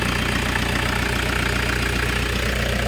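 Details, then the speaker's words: Toyota Hiace GL engine idling with the air conditioning on during a preventive maintenance check: a steady, even idle with a low regular beat and no knocks or misses. No blow-by seen; the engine is healthy. "So, goods na goods pa yung engine mo. Tapos, on natin yung aircon. Yan."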